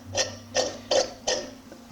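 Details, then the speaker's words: Yamaha Phazer snowmobile engine, crank turned by hand: rough crunchy grinding with excess resistance; moisture entering through bad crank seals destroyed crankshaft bearings. "and then when it's going you can hear it kind of grinding away and what that is is moisture's coming in through these seals and it's destroyed these bearings you know"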